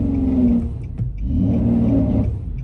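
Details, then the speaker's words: 2006 Nissan Murano SL 3.5L with limp mode and weak acceleration, free-revved at light throttle to rule out transmission versus exhaust: revs climb, then sag and nearly die around 2,500 rpm before recovering; engine stumbling, cause unconfirmed. "Yeah, as you could see, like when I'm trying to rev it, like right here, like it's literally trying to die right about like 2,500."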